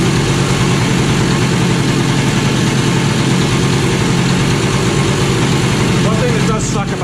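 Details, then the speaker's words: Kawasaki KE100 two-stroke warming up after fitting a new carburetor needle, no tachometer, a little smoke appearing: busy idle sitting high and even, creeping higher; owner plans to turn it down once warm; high idle. "It does not have a tachometer, so I don't know where my idle's actually sitting right now, you know, in a quantitative look. Sounds like I'm getting higher and higher."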